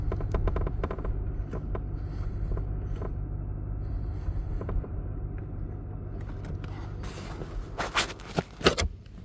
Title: Creaking Noise in 2023 RS6 when hot